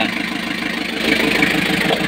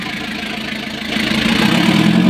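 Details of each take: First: Freshly overhauled Kia KC2700 diesel breaking in at idle: uneven pulsing beat that keeps dropping out; misfire from fuel starvation, still running out of diesel despite bleeding the filter. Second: Kia KC2700 after overhaul, previously hard starting with slow cranking, leak fixed: catches after a brief crank and settles into a steady, even idle with a smooth low drone, no stumbling or dying.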